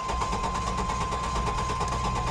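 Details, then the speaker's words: Lincoln Town Car Jack Nicklaus edition at auction, jump-started: cranks healthy with a slight uneven lope but never starts; good oil pressure shown, no fuel pump heard, excess oil suspected contaminated. "it sounds like it's cranking pretty healthy maybe dog wigging a little bit I'll tell you something I don't hear I don't hear fuel pump at all"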